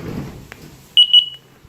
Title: attention ! carbon monoxide alarm error !